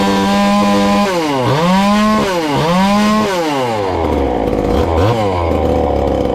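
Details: Ported little 2375 chainsaw, still on its regular fuel and nearly out, before switching to methanol: crisp quick rev blips with clean pickup and a slightly burbly top end. Runs fine, slightly rich.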